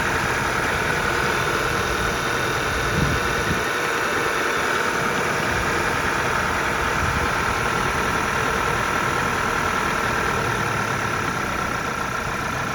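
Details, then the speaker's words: Audi A5 2.0 TFSI S-Line convertible, high mileage, cold start warming up, bonnet open: steady idle with fast, light tapping over it; owner unsure if normal, suspects a noisy pulley; clutch also noted noisy; abnormal engine noise at idle. "So maybe a noise pulley. I'm not sure how normal this guy."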